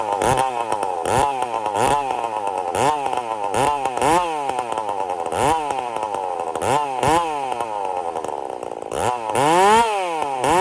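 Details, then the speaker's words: Chainsaw build on methanol with nitropropane additive, idling with choke on: revs surge and sag in quick uneven bursts, not settling; running extremely lean on the idle circuit. "I had to put the CH p on to get it the idle like this she's running extremely lead on the idle circuit right now"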